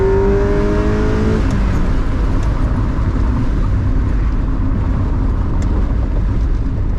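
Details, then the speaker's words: Acura Integra DC2 with JDM front revving through the range after a new DW200 fuel pump: pulls smoothly with no stumble at high rpm. It stuttered at higher revs before, and still feels slow. "Yeah, up there in the higher RPMs, like just all through the rev range, it feels smooth, but it's still slow."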